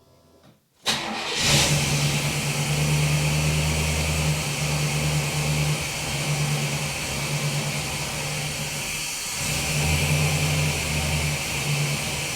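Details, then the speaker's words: Chevy work truck that lost power and wouldn't start, suspected bad fuel pump but not the pump: quick crank and catch, steady idle with brief rev, air box unplugged, some air bubbles in a fuel line; starts and runs smoothly. "some air bubbles in a line but it's running"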